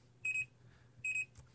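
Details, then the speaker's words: Fluke 115 multimeter with MIN MAX function active: pressing RANGE gives two short high beeps, meaning the action is not allowed (range can't change during MIN MAX); invalid button press warning. "si yo presiono rango va a emitir dos pitidos y eso significa que estoy haciendo una acción incorrecta"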